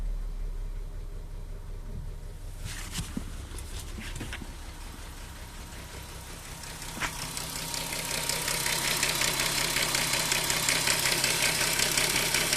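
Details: Audi A3 3.2 at idle: rapid metallic clatter/rattle, about two to three ticks a second, traced to the timing chain case; it disappears above about 1500–2000 rpm. Owner asks whether the cam adjusters are also faulty or only the chains, tensioners and guides.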